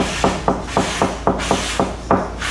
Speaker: a solid constant thud usually means the fiberglass is healthy and well bonded to give you an example this is what healthy fiberglass sounds like on a B3 series 11 45 down